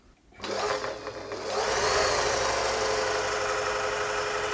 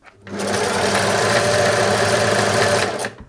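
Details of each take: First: Singer 631G/611G sewing machine after full service and foot controller repair: fast, even mechanical whir with light steady clatter, speed holding smooth, much quieter than before service; normal running. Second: Singer 631G/611G sewing machine before full service: fast, busy clatter at speed with a rattly edge; runs noisy and rough, much quieter after servicing.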